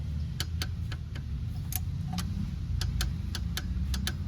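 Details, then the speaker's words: Torque wrench tightening the oil filter on a Volkswagen 1.4 TSI EA211 engine, first pass set to 20 Nm: sharp, crisp clicks about every quarter second over a low background hum as it breaks over at set torque. "lo escuchan esa es el aprieta 20 newm aquí me dice que ya no debo de apretar más"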